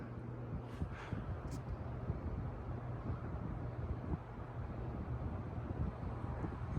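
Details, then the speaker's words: Wobbliest ceiling fan in the house on high speed: low, steady constant-pitch hum under the soft rush of air; the owner attributes the hum to the fan's wobbling. "This fan also is allowed the wobbling also makes the fan hum."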